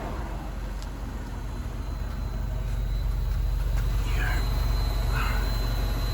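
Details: MINI Cooper R56 non-S, after replacing charcoal canister: thin steady high whine from center of left fuel tank over road and engine rumble, mostly stops when metal tank band is touched; owner suspects electrical, cause unknown.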